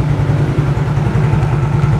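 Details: Older-model Yamaha X-Ride single-cylinder scooter, which had been sputtering then dying with MIL code 46 (low injection-system supply power), now idles steadily with an even low thump and no misses while charging voltage rises above 12 V.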